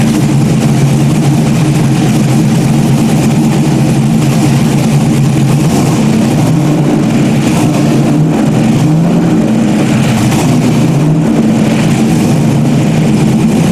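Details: Freshly rebuilt stock-block GM 5.3 V8 race engine's first run after almost a year of rebuilding; deep, even note swelling and settling with light throttle blips, no knocks or misfires; sounds healthy.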